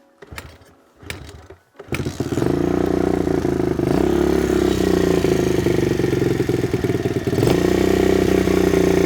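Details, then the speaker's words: Stock Kawasaki KLX110 pit bike, previously found with broken valves and a backwards piston. A few dry cranks, then it fires and holds a fast idle that won't drop (hanging idle). The carb fuel and idle screws were then set about 1.5 turns out, and it ran much better. "Got a bit of a hanging idle. There we go. Just a couple little adjustments on the fuel screw and idle screw."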